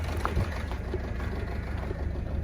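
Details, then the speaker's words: 58-plate Ford Fiesta Mk6 1.4 diesel idling low and lumpy with an uneven, stumbling misfire on cylinder 4, in limp mode limited to 2000 rpm; the injector was replaced. "what's happening is it's sort of missing and it's running very very lumpy"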